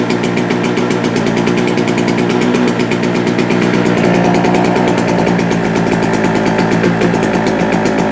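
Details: JCB two-stroke generator, previously unused for a couple of years, now running with possibly too much two-stroke oil in the fuel and putting out 200 volts. Steady, even buzz with a fast regular firing rattle and no surging: normal running.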